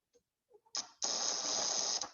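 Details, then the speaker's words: DC relay connected to an AC supply, about a second of harsh fast rattling buzz as the moving contacts vibrate with the reversing magnetic field; DC relay buzzing on AC. "aquí este significa que los contactos son la parte móvil que está aquí va a estar vibrando va a estar cambiando el campo magnético de sentido"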